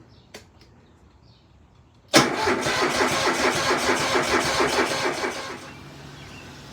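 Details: Scag V-Ride 2 SVR2-52 mower, EFI twin-cylinder Kohler engine, after starter replacement: strong even cranking about four pulses a second for three seconds, then drops off.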